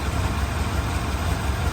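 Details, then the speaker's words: 1988 Chevrolet 1500 Scottsdale V8, cold idle after Seafoam in the tank and Marvel Mystery Oil in the oil, with weak ignition suspected: steady, even low pulse with no stumbles or misfires. Runs much better than before. "I'm gonna call this a win, man. Honestly, because this thing was way better than it did before."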